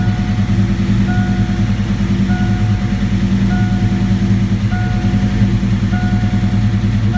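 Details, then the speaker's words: 1987 V8 after Promaxx cylinder heads and new rocker arms install, computer relearning after battery disconnect: deep even idle holding steady under a repeating chime, no miss or hunting; running smooth, normal idle. "Got to get some gas, but it is running smooth."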